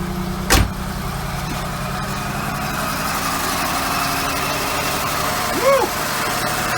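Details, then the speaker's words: Oldsmobile Ciera wagon on a cold start after sitting: low, lumpy idle with uneven throb and sagging beat, idle dropping; owner suspects taped-on vacuum hose leak, earlier coil pack suspected; rough idle. "doesn't sound too happy huh there goes the idol let's pick it up now"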